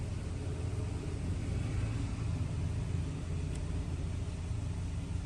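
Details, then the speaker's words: 2008 Dodge Caravan 3.3L, code P0303, plugs, coil and EGR valve already replaced, injectors not: lumpy stumbling idle rumble with vibration from the cylinder 3 misfire, confirmed on live data. "vamos a pegarle una pequeña celebrada a ver si falla de mostrarse de ruidos o un poquito de ruido a ésta número 3 ahí está y ahí se siente más la un poquito de vibración"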